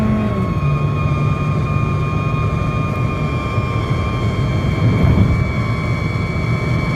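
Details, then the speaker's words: Car at about 120 km/h: two steady whistling tones, one high and one higher, over road and wind rumble; gone by 100 km/h, returns at 120; loose window trim whistling in the airflow. "ทำความเร็วร้อยหายไปแล้วแต่ต้องวิ่งเร็วครับ120ก็จะกลับมาใหม่ครับ"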